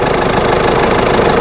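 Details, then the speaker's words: Ford B-Max that would not start in winter, now idling after battery work, alternator charging at about 14.25 V; steady even idle with a smooth continuous hum, no misses or knocks; normal idle. "ahora arrancado lo he dejado un ratito arrancado hace sus cosas"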